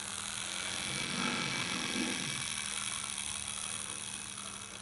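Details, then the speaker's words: Farish Pannier model locomotive after motor fixes and an added wheel wiper: steady high-pitched buzzing whirr with faint low hum, somewhat noisy but much quieter than before; motor running normally. "Now that is noisy if you compare it to a modern day loco, but I haven't got any record of this thing when it was playing up, so you'll have to take my word that this is significantly quieter than what it was before."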